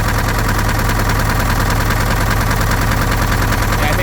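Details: An early-1970s Case 580B backhoe diesel idles roughly with an uneven chuffing pulse of heavy crankcase blow-by. It is slightly better after an added treatment but still not good, and an in-frame rebuild is planned.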